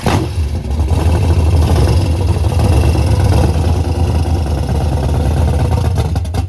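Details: Henry J drag car V8, first start after sitting since 1977: loud, lumpy V8 rumble holding a steady, deep, even rhythm with no knocks or rattles; healthy running.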